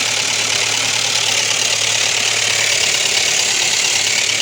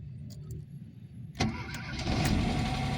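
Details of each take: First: Ford Ka 1.0 Zetec Rocam with oil light on constantly; loud fast tinny clatter at idle with ticking unloaded lifters, timing chain slapping from low oil pressure; broken chain guide pieces suspected blocking oil pickup. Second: Ford Ka 1.0 Zetec Rocam, cold engine, after oil pump and broken chain guides replaced for oil light and chain noise: quick crank and catch into smooth, even idle, no knock or rattle; oil light goes out immediately.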